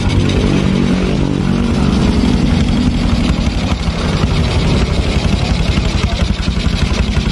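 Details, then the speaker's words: Honda Supra X 125 motorcycle engine at idle with throttle held by hand: uneven, rough beat that sags and recovers; it stalls if throttle is released. "Ini saat posisi stasioner, ini stasionernya dipegang loh, no. Nggak bisa dilepas modar."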